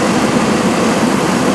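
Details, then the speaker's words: 1995 Cadillac Sedan DeVille with 4.9 litre V8 (not Northstar), scrapyard car: steady, soft whooshing idle, even hum, no knocking; a pulley or belt may be tweaking slightly but mostly sounds all right; normal idle. "therefore running engine that's it not a Northstar motor here quiet sounds like there's a pulley or a belt there's something tweaking a little bit but for the most part it sounds all right"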